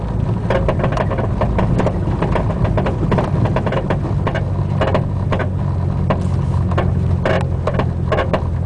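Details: Front driver's side Buddy Club racing spec coilover: creaking from the top mount, popping/clunking from the spring/shock body, constant whenever driving, felt through floor and pedals; irregular sharp pops and creaks over low rumble; cause unconfirmed.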